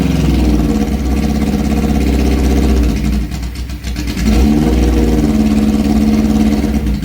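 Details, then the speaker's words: 1978 Suzuki GS1000 after an oil refill of 3,400 ml and refitting the clutch cable: loud open exhaust with steady low thumping and a couple of blips, with no more clickety-clack from the clutch. It runs better; the clutch still needs adjusting. "Oh, it sounds better. Doesn't sound like it's clickety-clacking like it was."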